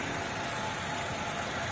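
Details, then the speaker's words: Used car being inspected before purchase, idling steady and even with a smooth hiss and no ticking or knocking; example of a smooth-sounding engine. "Nah, apakah suara mesinnya halus atau enggak? Ini salah satu contoh mobil yang suaranya halus, nggak ngelitik."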